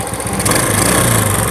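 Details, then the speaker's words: Honda Astrea Grand, low on power, after carburetor and valve work: busy rattly idle with clattery top-end chatter, still very noisy; valve clearance to be readjusted, exact source unconfirmed. "tapi coba kita Setel lagi kulitnya biar lebih maksimal ya karena masih berisik sekali ya suaranya"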